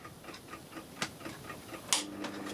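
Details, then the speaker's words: Warburton Franki WF 2 E timeswitch after cleaning, motor restarted once static friction overcome: quiet, crisp ticks in a quick, even rhythm a few times per second; escapement running properly, slight start delay. "turn the motor back on yeah i hear the break go yeah there you go that's working right now it's just got a bit of a delay"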